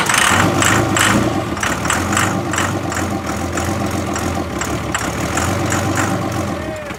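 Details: 2008 Ford Super Duty diesel, first start with ether in intake: lumpy run with uneven chuffs and stumbles, about four beats a second, while air is purged from the airlocked VP44 injection pump.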